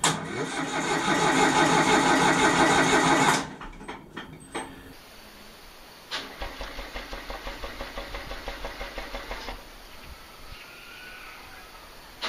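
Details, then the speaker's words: Denyo DCA-15SS-N genset, 1.6 L 3-cylinder Nissan diesel, over 30 years old and unused for years, cranked without preheat so it won't start, to get oil up: starter turns it over at an even three compressions a second, no firing. "the first thing is that the thing hasn't run in a in a while so I will I will crank it a few times without starting it without preheating it to get the oil up in the engine"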